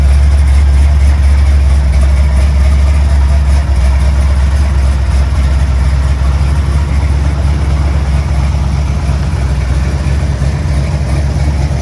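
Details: 1955 Chevy on a test drive after front wheel bearings were greased and serviced to cure a screeching, whistling front-end noise; a steady low drive rumble with no growl or hum rising with road speed, so the bearings sound quiet and healthy.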